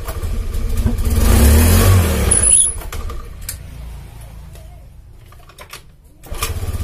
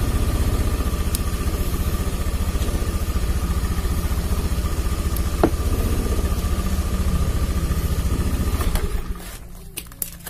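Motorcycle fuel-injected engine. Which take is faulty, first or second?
first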